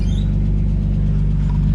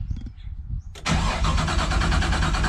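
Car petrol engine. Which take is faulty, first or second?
second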